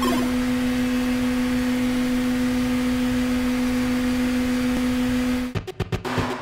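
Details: Korg Volca Sample routed through a Tascam Model 12 mixer: a steady, loud electrical hum holds flat, then cuts off into a few clicks. Digital noise appears only on the mixer's main out, not when recording the channel.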